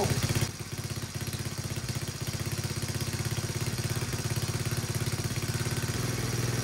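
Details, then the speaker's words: Chinese 125cc ATV engine after top-end rebuild, choke used at start: small single idles at a steady even beat with a slight high-idle lift, no misses. "All right, guys. Well, as you can hear behind me, the thing is running fantastic."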